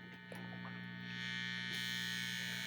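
A steady low hum with a thin buzz on top sounds constantly from the speaker box; the source of the hum is still unknown.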